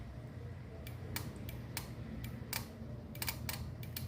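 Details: Microwave oven relay tested through meter probes: crisp distinct clicks, about a dozen in four seconds, switching every time; normal relay, faulty one clicks only intermittently.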